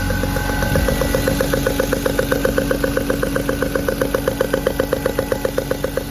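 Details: BMW E36 M3 at idle: sharp, even tick about four times a second over a smooth idle, tracking engine speed, coming from the spark plug area rather than belts or exhaust manifold; a loose spark plug leaking compression.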